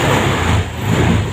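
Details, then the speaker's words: Honda Vario 150 scooter after fixing a total electrical failure caused by a broken connection in the relay power circuit to the ignition switch: low, steady, even idle burble with no misses or knocks; normal idle. "Oke, nah nah motor sudah menyala ya, motor sudah bisa menyala seperti ini."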